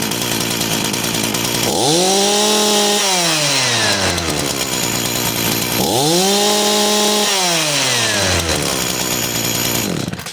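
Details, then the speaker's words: Echo CS-440 two-stroke chainsaw, idles fine: revs climb to a high scream on throttle then sag and fall away twice, bogging from a lean high-speed mixture; fixed by turning the high (right-hand) screw out a quarter turn at a time. "You start it, it'll idle, but when you squeeze the trigger, it bogs out and dies."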